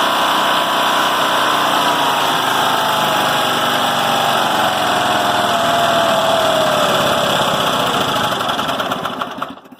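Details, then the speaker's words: Westwood Gazelle W11 ride-on mower engine, carb previously running rich with a sooted plug, carb being set up: fast somewhat uneven beat that sags and stalls; rough idle that dies with controls fully down. "about where I won this idols not great but it will idle but when you put these all the way down that will die"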